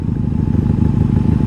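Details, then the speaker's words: 1997 Honda Magna VF750C V4, previously wrecked, long sat, just refuelled with ethanol-free gas and missing its air filter. Steady, even idle with a smooth quick pulse and no knocks or misses. Still sounds good. "Now she's been sitting for quite a while. She still sounds good."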